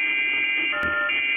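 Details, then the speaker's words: HF receiver with the coax run alongside network cables to the attic: a steady raspy buzz with fixed whistling tones every 11 or 12 kHz across the band. Interference from the Ethernet switch. "as you can see here as i'm tuning through this noise is present about every 11 or 12 kilohertz up and down the band"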